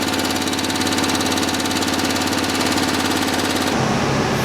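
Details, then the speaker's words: Generator on a 1972 Winnebago Indian D22 (Dodge M400 chassis), gravity-fed from a cup of gas, with the bad 30 amp fuse jumped, starts and settles into a steady, even chug with no misses or knocks; running normally. "Fuck yeah, so the generator works. The fuse was bad, we couldn't find the right 30 amp fuse, so I just went ahead and just jumped it."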